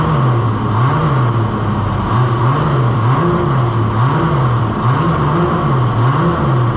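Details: Holden LX Torana 202 six, rebuilt with adjustable roller rockers and Holley Sniper, run briefly without rocker cover or water pump. Steady idle with a gentle rise and fall in pitch about once a second, firing evenly. No knocks, normal idle.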